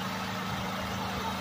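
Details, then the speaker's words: Engine generator running on Harbor Freight DIY wood-chip gasifier: steady low drone and even hum, no surging or misses, holding speed under about 1300 W load, up to about 1700 W with coffee pot. "so I've been riding a 30 000 watt load plus I ran the coffee pot and that kicked it up to about 1700 Watts"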